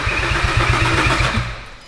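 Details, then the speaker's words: VW Caddy R build after engine swap, cranking after reseating a loose ECU plug connection that had stopped cranking: starter spins engine with even compression pulses, about five a second, then stops, not yet firing as fuel primes; normal cranking. "So, now it's cranking. Okay. Okay, so that was the problem. So, it was a loose connection on the ECU, which is my fault cuz I disconnected it and reconnected it a load."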